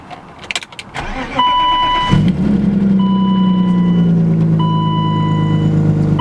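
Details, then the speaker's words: BMW E34, manual, first start of the morning from cold: engine catches and settles into steady, slightly raised idle around 1,000 rpm with even firing and chimes; healthy cold fast idle, drops to 650 when warm. "This is the first time me starting up in the morning, so it's gonna idle kind of high until it warms up."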